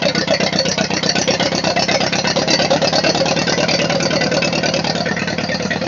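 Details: Ford 8N tractor after sitting for years, rewired, fuel on, in neutral: settles into a quick, steady idle with even firing pulses and a light mechanical rattle; running normally.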